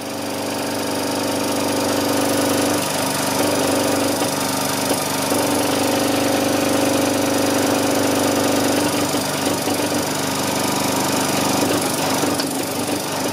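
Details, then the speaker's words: Kromrey generator motor run from a 35 Ah battery while its small coils are shorted by hand off the optimal top-dead-centre timing: the steady hum sags in pitch as the shorting loads it down, then recovers. Peak-to-peak voltage rose from 92 to 528 V. "so you can hear when it bogs the motor down I'm not shorting in the optimum place kind of hard to do it by hand"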